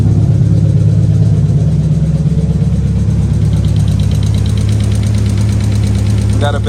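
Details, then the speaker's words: 1990-96 Nissan 300ZX (Z32), idling outside after misfire diagnosis; steady idle with a light quick tick roughly twice a second, sounds like valvetrain noise. Owner suspects low oil, not yet checked; otherwise running pretty smooth, no misfire when revved. "a bit of a tick maybe it's low on oil I didn't even check the oil it'll be running pretty smooth now minus the tick"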